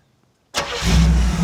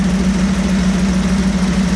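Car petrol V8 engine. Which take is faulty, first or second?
second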